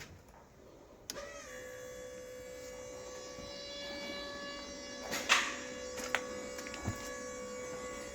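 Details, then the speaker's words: Land Rover Defender 130 Td5 fuel pump priming before first start-up, with the fuel filter not pre-filled; a steady electric buzz after a click with sharp clicks as it cycles, to purge air; normal priming. "So, we're just going to let that um circulate for a little while to make sure there's no air in it or anything, and then we'll be able to have a start. And you'll hear it clicking on and off."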